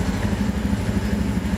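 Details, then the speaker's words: 2017 Honda Beat fuel-injected scooter, no fault codes stored, idling at about 1500 rpm, which is standard: a steady, even low idle with no misses or knocks. The engine runs properly. "nah ini putarannya caranya sebesar 1500 ini ini standart sudah ya saya kira itu di kondisi motor sudah sudah berjalan dengan normal"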